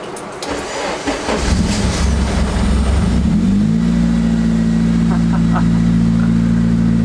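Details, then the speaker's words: Honda Integra, right-hand-drive conversion, sat about three months, in neutral, possibly weak fuel pump: few seconds of cranking, then catches and settles into steady even idle; normal start. "She lives once more."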